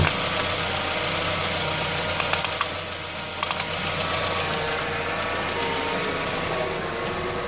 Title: ford mondeo mk1 1994 1.6 rough idle symptoms idle air control valve?/MAF SENSOR?